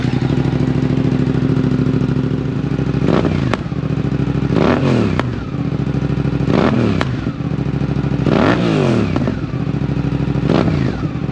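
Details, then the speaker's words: Suzuki GSX-8S parallel twin with full exhaust, DNA open lid removed and OEM airbox lid refitted: deep, even idle between sharp, clean throttle blips; a normal, deeper exhaust tone with the cover on. "I feel like with the cover on it has a deeper tone I like the way it sounds like this"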